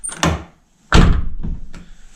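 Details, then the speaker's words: 2009 Nissan R35 GTR driver door, before repair: solid slam then short tinny rattle from the lock area as it settles; suspected security plate or lock, a loose cover hitting the door skin. "It's that rattle just after it closes. And I believe some people have told me that it's a plate inside. There's a security plate that needs tightening up or it could be something else."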